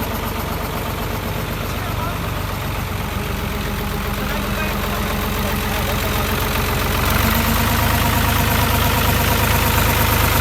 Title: Complete & Satisfying Solved The Problem of Bad Engine Noise | Engine Bad Voice Perfectly Repairing